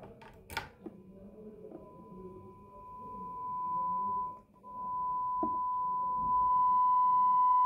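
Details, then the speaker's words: Markbass bass amplifier after repair (protection-mode fault, damaged capacitor and resistor) and potentiometer cleaning: steady ~1 kHz test tone through speaker rising and falling smoothly as the pot turns, with no crackle. "So we can hear there's a clear sound coming out of the speaker, even though when I'm telling the pot, that crackling noise is gone."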